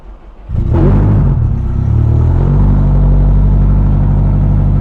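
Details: 2017 Subaru STI, Pulsar 6466 turbo, Link ECU, ID2600 injectors, on about E79–E89 ethanol after priming: starts after brief crank, settles to steady even low rumble, no knocks or stumbles; healthy coldish-start idle before warm-up.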